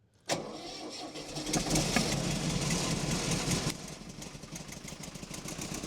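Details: Miller Air Pak 400 welder, believed late-80s, Deutz diesel, not run in a while; cold start at about 35°F after dark, no ether; brief rev, then even diesel clatter; fires right up, engine in good shape; normal cold start and idle.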